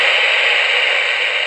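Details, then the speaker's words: Kid-built Elenco FM-88K autoscan FM radio kit: steady loud hiss from the speaker, no stations. A wrong-value or wrong varactor tuning diode is suspected, unconfirmed. "to have all kinds of game but it's not finding any stations so there's a lot of theory so I just might be happening one might be extruding the wrong Dan perhaps the tractor diode is the wrong value wrong diode or something like that"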